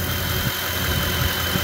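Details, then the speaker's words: Ford F-150 that squealed on startup, likely because the belt had no tension, after idler pulley replacement: an even, low idle rumble with no squeal or chirp, normal idle. "I think that's a fix guys just a simple idler pulley replacement"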